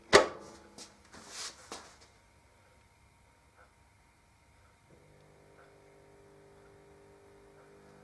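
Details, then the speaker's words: Zanussi ZDT5152 dishwasher that fills with water on start: a faint steady low vibrating hum and nothing else happens; mice had been in the machine; drain pump stalled with impeller clogged by debris. "такой звук как чуть-чуть vip вибрационный слышно звук такой"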